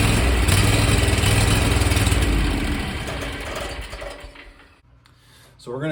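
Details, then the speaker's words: 27 hp Kawasaki zero-turn mower engine cranked hot, on a relatively cool day: steady low chugging at about four beats a second that dies away without catching. Owner suspects a sticking carburetor fuel shutoff solenoid starving it of fuel. "and then here is it starting when it's hot uh this actually wasn't actually a lot worse than this um this was a relatively cool day but um just to give you an idea what the symptom is"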